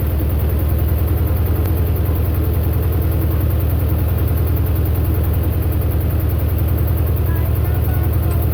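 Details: Belarus 250 tractor, two-cylinder air-cooled diesel revived after sitting for years with a fuel delivery problem, started for a live-PTO test: even, steady chug at about 200 beats a minute, deep thump, no knocks or misses, healthy running.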